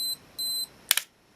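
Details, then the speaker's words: Olympus XA2 35mm compact camera self-timer with flash off: two clean high beeps, pitch rising just before firing, then sharp double shutter click; self-timer works normally. "We hear the beep, and the pitch will go up a little bit just before it's about to go off."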